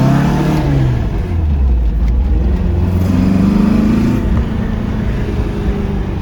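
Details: Porsche 914, newly built 2056 cc engine, dual throttle body MegaSquirt EFI, performance cam, enlarged valves, Tangerine Racing exhaust, 123Ignition, road test in basic tune: throaty note climbing cleanly to high rpm with strong torque, no stumble; normal.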